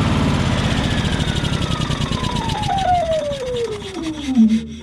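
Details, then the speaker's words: Yamaha EF4500iSE inverter generator (no power output), connector unplugged from the inverter board with voltmeter leads on it at 250 V AC: engine pitch sags steadily and settles at a low, lumpy speed instead of revving up. Owner suspects it isn't reaching idle; cause unconfirmed. "I should be getting around 250 volts maybe a little less or more because it sounds like the generator is not revving all the way up to idle"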